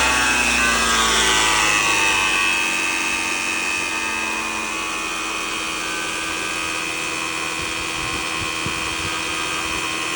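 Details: Toyota Camry petrol engine on cold start gives a loud, raspy, high-pitched whirr that eases slightly after a couple of seconds; the noise occurs only when the engine is cold.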